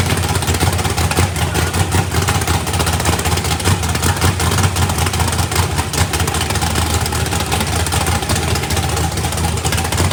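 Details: Fresh 409ci small-block Chevy race car engine, turbo not fitted, first fire-up and heating up: loud, steady V8 lope with deep, even rumble, no knocks or misses; normal running.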